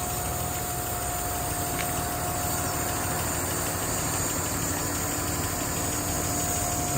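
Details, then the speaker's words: 1959 Alvis TD21 Series 1, heard under the bonnet, hot after a good run: a smooth, even idle with the electric fan's steady whir over it; a normal warm idle. "it's hot at the moment. Been out for a good run. But just doing what it should."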